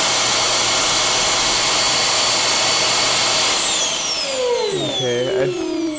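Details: Dyson vacuum with a non-working roller brush, brush motor loose on the bench, pulsed on: steady high motor whine, then falling tones as power drops and it winds down; brush motor spins freely and works.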